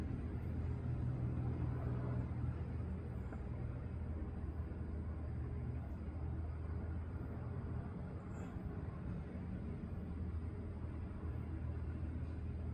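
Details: 2021 Kenworth T680 diesel truck idling right after an oil pan replacement and oil refill: low, even rumble at steady idle with no tapping or knocking; engine sounds healthy.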